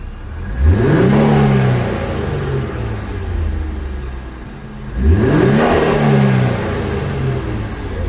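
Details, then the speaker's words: Infiniti Q50 Red Sport, crashed and being rebuilt, briefly warmed up and set to Sport Plus: two quick, clean rev blips that rise and fall smoothly back to a steady idle; healthy engine. "it's warming up it warmed up a little bit about to give you a quick little revs put on sport mode matter of fact Sport Plus"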